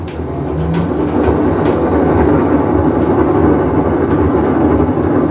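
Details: Whirlpool Cabrio washer, full wash cycle: loud steady train-like rumble through agitation from a bad tub bearing.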